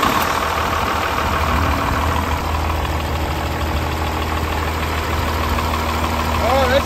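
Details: Diesel with Bosch P-pump starting after cracking a fuel line to bleed a suspected air pocket in the fuel system: steady, even idle with low rhythmic beat and traffic hiss behind, running smoothly.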